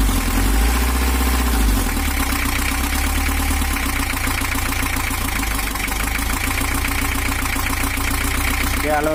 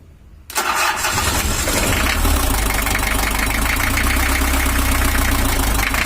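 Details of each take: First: 1982 Toyota HiAce LH11 diesel in for overheating and rough running; after camshaft timing reset to valve top position, diesel clatter settles into an even idle with no misses or knocks, smooth but still not fully right (worn injection pump, warped head). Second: 1982 Toyota Hiace LH11 diesel with an 82 gear and 83 round-timing-belt camshaft, cam set by valve top timing: catches and settles into a lumpy, uneven idle with irregular knock; pump timing still off and needs moving a tooth.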